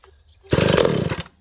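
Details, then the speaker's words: Ported, piped vintage Homelite 922 chainsaw, restarted on choke about an hour after a first run, carburetor a little off; short crisp burst of rapid firing as it catches normally. "okay friends let's restart this i started this about an hour ago carburetor was a little off but uh i'll give her choke again"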